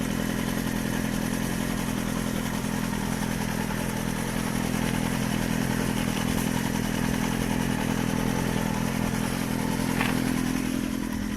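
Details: Suzuki GSX-R400 (GK73A) engine at steady idle with a light metallic clatter and a short rev midway; the rattle is heard with the bike standing on its side stand and persists after the cam chain tensioner was replaced, source unknown.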